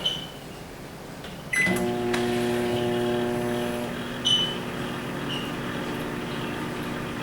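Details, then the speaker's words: 2019 GE microwave after replacing sticking transformer power relay on control board, mug of water inside: steady low hum, magnetron buzz cuts in cleanly, then beep and quiet on cancel; running normally. "let's just go ahead and start it Transformers own and then magnetron fired up"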